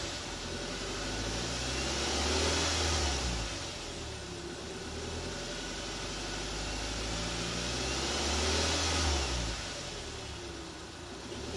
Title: Audi A4 B7 whining noise.